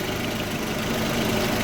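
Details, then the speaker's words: Audi A4 B6 1.8T petrol, after replacing ignition coils (one found faulty) that caused misfire and jerking under acceleration: started faster than ever, steady even idle with smooth mid-pitched hum, no stumble; normal idle. "Well, let me tell you, there is a difference in lighting. It fired up right away, faster than ever."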